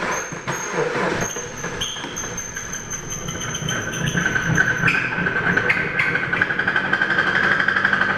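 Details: 2014 Jeep Patriot with 14k miles idling with a deep, rough rod knock about four times a second; a quick oil change service had left the oil filter loose.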